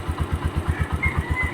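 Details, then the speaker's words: Motorcycle idling after tune-up with valve clearance adjustment: steady even low single-cylinder thump with no ticking on top; valve tapping gone, normal idle. "Ayan mga kawilder. Ang galing. Ayan, wala nang lagatik."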